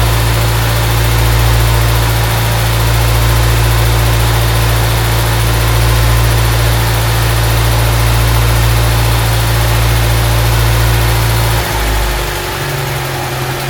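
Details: Honda Civic EG Mugen hatchback four-cylinder idling just after valve seals, timing belt and water pump replaced, timing and distributor set, before coolant top-up and bleeding: smooth, steady low idle rumble, even pace, no ticking or knocking, settling slightly near the end; healthy idle.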